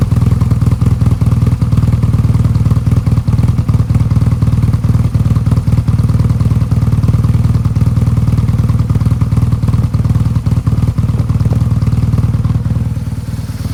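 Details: BMW R1200GSA, fully hot engine: heavy low idle thumps about three a second with uneven stumbles and clatter, rough idle and stalling; plugs and coils replaced, valves checked, throttle bodies synced and adaptations reset, cause still unclear.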